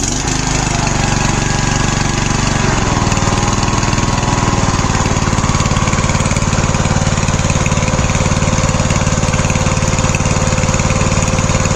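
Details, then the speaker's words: Troy-Bilt Bronco lawn tractor after a new carburetor, exhaust fix and tune-up, parking brake set; engine catches within seconds and settles into an even, steady putter with no misses or knocks: normal start and idle. "The tractor. I already have the parking brake set and it should literally fire right up."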